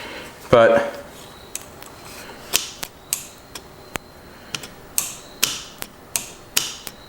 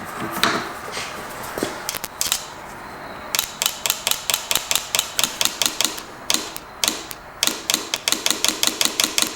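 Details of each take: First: Cheap used John Deere Gator 6x4 that won't run, fuel shutoff solenoid powered from a battery: sharp, irregular single clicks, about a dozen in seven seconds; the plunger is sticking. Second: John Deere Gator 6x4 fuel shutoff solenoid after cleaning out with brake cleaner and cleaning the terminals, tested off the engine: crisp, snappy clicks in quick bursts as power is tapped on and off; the plunger now moves freely.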